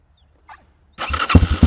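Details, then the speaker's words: Kayo K2 230 dirt bike, cold-natured, unstarted a few days, on choke after new lithium battery install: brief whir then catches within a second into strong even idle thumping; starts much better, normal starting. "I'm going to have to use the choke to start it up. It hasn't been started in a few days. Oh yeah. Starts much better."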